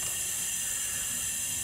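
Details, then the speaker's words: Flatbed trailer air system after new airbags and a replacement Haldex FF2 trailer brake control valve, which replaced a faulty valve with an internal leak: a steady, even hiss with no sputter or pulsing as the height control valve exhausts air normally. "ight folks so everything's working like it should you can hear the air coming out of the height control valve is doing what it's supposed to"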